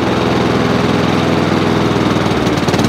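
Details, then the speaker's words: Honda HRX537 hydrostatic-drive mower with roto-stop blade clutch, before carb clean: steady running, then revs dip and waver, worsening progressively, also when blade clutch engaged; owner suspects dirty carburetor; spark plug, air filter and oil were poor. "there you go that's what it's doing every now and again a little tiny flip and that gets progressively worse i have noticed there you go there's not running as well as it should do"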